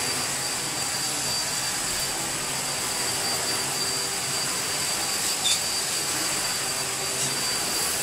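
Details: Bosch Athlet cordless vacuum, given as not working, owner suspected a blown capacitor, running on its last battery bar: steady high-pitched motor whine at even pitch, no surging or rattles; vacuum motor runs normally.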